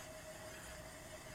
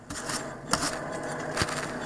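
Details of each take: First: 2002 Honda Accord, wheel hand-spun after wheel noise on test drive: quiet, even whir with only a faint light rub from brake pad drag; tread wear uniform, not tire noise; this wheel is normal, bearing fault is on the other side. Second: 2002 Honda Accord with wheel noise on test drive; tires worn evenly, so not tire noise. Raised wheel spun by hand gives a dry, hollow, metallic, almost grinding scraping rumble: a worn wheel bearing.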